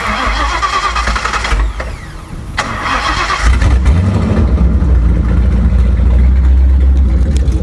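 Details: Ford Crown Victoria 4.6 DOHC with low compression, replaced IAC, TPS, plug wires, plugs, coil packs, now running a swapped ECU: after a short crank it catches cleanly into a steady, even low idle; normal start.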